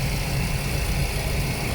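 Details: Suzuki Swift M16 petrol engine idling with the AC on after a throttle body and MAF cleaning and reset that fixed a low idle of about 500–600 rpm: a steady, even low rumble with no dips or stumbles.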